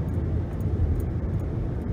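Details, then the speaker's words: 2011 Nissan Rogue (front-wheel drive) after replacing the wheel hub, coasting at 60 mph: low, even road rumble with no hum, growl or drone rising with speed, no vibration felt; normal road noise, bearing problem fixed. "I don't really hear a hum or a sound like I'm in a jet plane or a buzz. It seems like it definitely fixed the problem, replacing the wheel hub."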